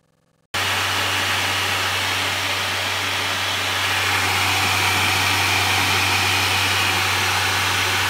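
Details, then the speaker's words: Radeon HD 6950 2GB graphics card (2010) on a Ryzen 5 1600 test rig before any game load: sudden loud, steady rushing air with a low hum, creeping louder; the blower fan is very loud. "and that's even before we've got into a game it's so loud that after running it last night for a couple of hours I went to my car this morning and my neighbors asked me why I was quote vacuuming at 11 p.m."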